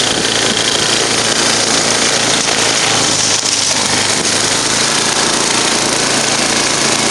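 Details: Murray 10 HP 29-inch snow blower after rebuild, performance test under load: steady even drone with busy hissy top end, no knocks or misses; normal running.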